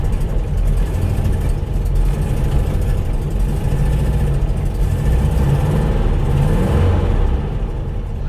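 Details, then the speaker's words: Porsche 912 flat-four started cold in neutral after ignition rebuild (electronic ignition fitted); deep even rumble with steady firing, rising slightly with throttle; started easily, running normally. "so the electronic ignition that seems to have made a difference that started up much easier than i thought it would"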